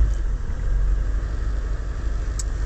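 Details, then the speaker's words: 2000 Holden Astra Z18XE, P0100, new MAF fitted, just started at 20° coolant: the engine hunts with an uneven, sagging low rumble near stalling, and the scan tool shows zero MAF voltage and kg/h because the ECM can't read the sensor signal. "uh as you can see the mass airflow sensor has no voltage reading and has no uh kilog kilogram per hour uh parameters reading"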